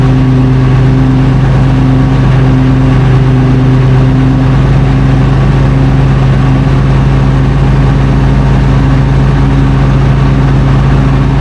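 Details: FV432 troop carrier diesel, long-sitting, being revived and running on real diesel: loud, deep, even drone with steady low tones and no misses or knocks; normal running.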